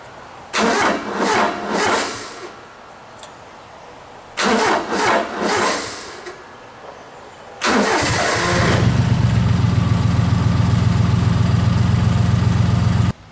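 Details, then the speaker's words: Honda Acty mini truck with excessive crank issue, fuel ruled out (starter fluid made no difference): two long bursts of steady cranking with no catch, third crank fires into an even idle; owner later changes battery, terminals and main fuse. "the truck has been having an excessive crank issue for a little while and I just tried to demonstrate that so took quite a few um turns before it would fire on"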